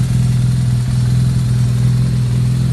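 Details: 2009 BMW R1200R boxer twin after gearbox repair (knocking/rattle fixed, new damper, bearings, clutch disc): steady, even low thrum at idle with no knocks or rattles; gearbox sounds healthy, throttle sync not yet done. Normal idle.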